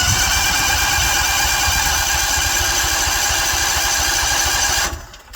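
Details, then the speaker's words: Cold-weather start attempt on portable gasoline generator with battery tender, treated gasoline: starter churns unevenly about five seconds, cycles up to three tries, engine never catches; cranking without starting. "It's going to do that three times. If third time it doesn't start, then I've got to do something else. Bummer."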